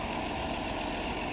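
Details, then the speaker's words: 1962 Ford Falcon, apparently 200ci six, just started after a long sit by pumping the carburettor: even steady low rumble at idle, no knocks, misses or ticks — normal idle, runs good. "There we go. Runs like a champ. Can't move it because it's got a flat tire, but she runs good."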